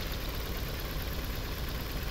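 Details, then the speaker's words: 2011 Nissan Sentra 1.6 petrol idling rough and lumpy with an uneven thump, worse with A/C on; misfire persists after new plugs and coils, and ignition coil number two gets no signal from the engine ECU, so wiring is suspected. "Wiring issues or damaged wiring in the ignition system can cause misfires. Ignition coil number two does not receive a signal from the engine ECU."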